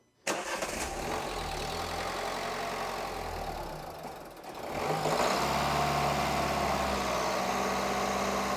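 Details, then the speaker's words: 2012 Renault Scenic 3 with the 1.5 dCi K9K diesel after a fuel filter change and priming: it catches, sags and nearly stalls, then holds a raised, uneven fast idle while trapped air works through. "just to help that air work its way through. And we'll just have her at a fast idle"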